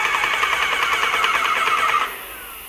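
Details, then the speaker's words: Graco airless paint sprayer after the packings were replaced, reaching about 3,200 psi with no filter housing leaks. Steady fast pulsing hum with a mid-high whine and even strokes, then a clean shutoff; the pump is building pressure normally. "Alright, so we've hit maximum pressure, sitting at about 3,200 psi. We're looking for leaks. I see no leaks."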